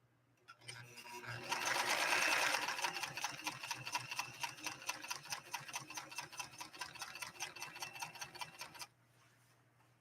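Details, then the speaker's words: White Model 742 vintage Japanese sewing machine, power setting on high, straight-stitching Italian leather via foot controller: even quick needle ticks about two or three a second over a light motor hum; clean, good-looking stitch, healthy normal sewing. "yeah really a goodlooking stitch on this Italian leather take a closer look at that"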